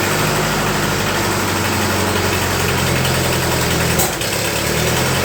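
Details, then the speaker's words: 1948 Ford 8N tractor restarting after being dosed, following a rebuild: a steady, even low four-cylinder chug with a brief dip near four seconds. It is running, charging and has some oil pressure. "let's try it now I dosed it with a bit of this and it started so it sat for a minute we'll see if it'll start back"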